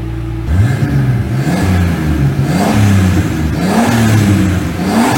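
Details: BMW E46 328i turbo conversion after turbo oil-return and breather changes, lambda cleaned: engine revved through several speeds, pitch rising and falling smoothly without knocks or rattles; sounds healthy.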